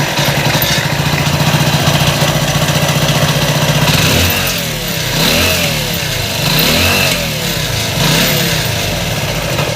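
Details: Hero Splendor Plus single cylinder after engine block replacement and rebuild, oil pump check with head cap open: even putter at idle, smooth blips up and down without misses; oil reaching head, runs cleanly.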